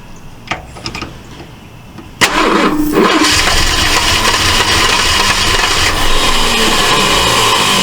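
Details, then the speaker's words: 1968 Ford LTD, abandoned: quiet clicks, then a ragged, rapid firing that happens only while the starter cranks; miswired coil feed suspected, with a plan to run 12 V straight to the coil. "strange it's only running it's only running when the uh when it's turning over it's only firing so something he's got wired going to the coil something he's got wired wrong"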